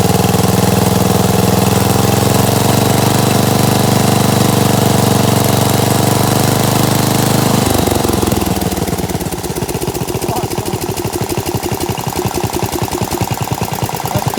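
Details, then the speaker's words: 16HP Briggs on a Gravely 816S with an Amazon China carburetor, not run for a month, rigged ignition: smooth, even idle rumble, then separate thumps as it winds down when the ignition is unhooked to stall it. Normal idle. "man sounds pretty good huh got my rigged up ignition here if i unhook this it should stall"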